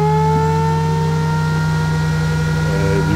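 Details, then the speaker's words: Antminer L3+ with its stock fans reinstalled after a failed Noctua NF-F12 industrial PPC-3000 PWM fan swap: loud steady whir with constant tones and even airflow rush, miner back up and running; normal fan operation. "clearly hear the fans are back on i got it hooked up over here for now"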